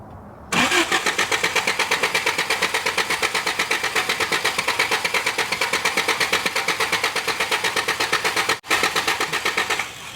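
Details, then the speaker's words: 1983 Toyota 4x4 22R four-cylinder, not run for at least 10 years, fuel return line capped: fast even cranking for ten seconds without catching and gurgling fuel. Hard start; owners suspect flooding. "probably flooded you just going to do it some more it'll burn to it it'll gurgle pant yeah I can just hear it just gurgling down there almost like it's pouring it in"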